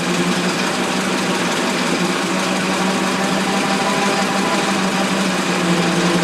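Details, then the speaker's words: Ford Model T started after 40+ years, idled down after trying its two-speed transmission: steady, even idle with a light rapid patter, no knocks or misses; old engine ticking over fine. "so cool to see these old things running here I'm going to try to idle it down a little more"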